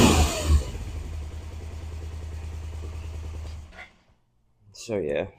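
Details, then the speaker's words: 1991 Suzuki GS500E, cold start, stock exhaust before new exhaust fitted, after carb clean, new plugs, oil, tank and clutch: steady even low burble at idle, then cut; no ticking, knocking or missing; sounds like a dirt bike, normal idle. "sounds like a dirt bike. Sounds like your uh typical CRF150."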